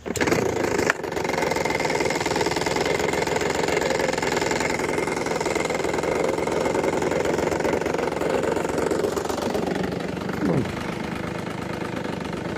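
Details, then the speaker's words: Ryobi backpack leaf blower, small two-stroke, after new blower assembly install: drones steadily then dips in speed with a loose, buzzy roughness at low speed from a rattling baffle inside the muffler. "I mean, it sounds a little rough at low speeds, but that's only because of that rattling in the muffler."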